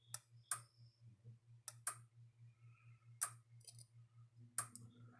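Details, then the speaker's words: Fence tester gauge used on a Gallagher S50 solar electric fence charger: sharp snapping clicks, often paired, over a steady low hum as the tester arcs internally, previously damaged and breaking down. "But I don't know if you could hear it arcing inside this thing, but you could hear it arcing inside this. That's this thing breaking down."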